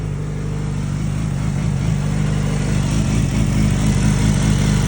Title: R6 Rj11 weird noises